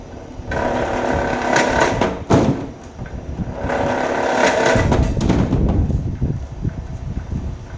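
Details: Vevor wire stripper feeding wire: uneven motor whirr rising and falling as wire passes, rollers crunching on insulation. Any chatter means it's too tight (move to the next hole or adjust spring tension); here it works normally.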